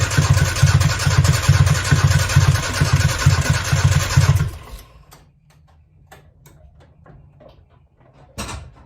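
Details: 1995 Nissan truck, carbureted, with new wires, plugs and battery, firing order verified: starter spins the engine at an even cranking rhythm for about four seconds but never fires, same with starter fluid; owner suspects fuel issue, compression and timing chain unchecked.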